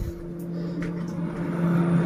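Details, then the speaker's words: Polytron 2-door refrigerator PRN 21 after replacing a shorted evaporator fan motor; steady low hum with even whirr, fan spinning normally and no longer shorting. "Nah, Teman-teman lihat dia berputar ya dan tidak short."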